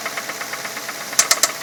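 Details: 2006 Ford Fusion four-cylinder, 80,000 miles: fast, steady light tick over the idle, then three sharper louder clicks; owner wonders if it is valves or the timing belt slapping, felt at one spot; engine ticking, cause unconfirmed.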